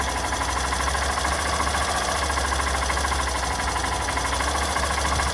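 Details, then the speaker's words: Hero Glamour/Passion Pro BS6 bike, 80,000 km, after engine rebuild (block bored, head work, new rings, new self-start motor): steady low idle thrum after self start, no tappet, timing chain, or ring/piston noise; idling healthy. "अब आप देख लिए engine के अंदर कोई भी noise नहीं, ना टैपर का साउंड आ रहा है, ना टाइमिंग चेन का साउंड आ रहा है, ना ही करेंट से साउंड है, ना रिंग पिस्टन का साउंड है।"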